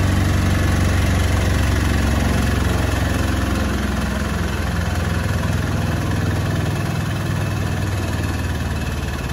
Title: Beko UNBALANCED & NOISY final spin